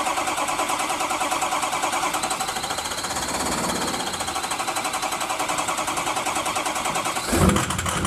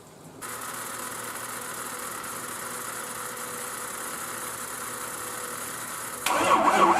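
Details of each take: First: Diesel truck cranking on weak 7-year-old batteries (from early 2011), unplugged, started with ether after hot no-start repair with turbo intake duct refitted; steady cranking about seven seconds, catches with a thump, settles into rough even run; running after a year. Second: Turbo truck unstarted since November 2016, after a hot no-start repair, cranked on both batteries: steady starter churning about six seconds that never catches, then a louder burst; cranks but won't start.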